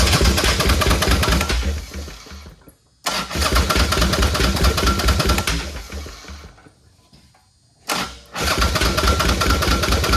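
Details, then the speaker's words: Chopper project bike, just re-pinned wiring plugs, petcock opened; three bursts of steady cranking that never fires. Tank almost empty, and they suspect it's not getting enough gas (not confirmed). Cranks but no start. "yeah the tank was almost empty so with the frisco that all right could be that it's not getting enough gas"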